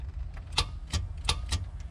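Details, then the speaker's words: Project vehicle "Earl" cranked for the first time after months, with the starter relay newly wired (pins 30/87/86). Sharp single clicks at uneven intervals with no cranking; the relay clicks but the battery lacks the juice to turn the starter. "It just doesn't have the juice to start it."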